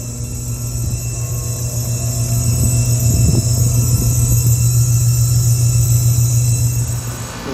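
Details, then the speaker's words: Trane rooftop unit, customer's recording of a loud strange noise: steady low hum with rattly pulsing, unit straining; technician suspects the compressor is bypassing, unsure whether the condenser fan motor was running; loud humming, unconfirmed. "it just sounds like um it sounds like the compressor is bypassing that's what it sounds like to me"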